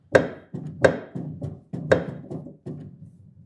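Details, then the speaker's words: Kawai GX-3 grand piano after tuning: quick pedal strokes give dull wooden thumps, some with a sharp click, because bolts in the pedal mechanism are loose and there is too much gap in the pedal. "So something is loose here. Too much air in the pedal."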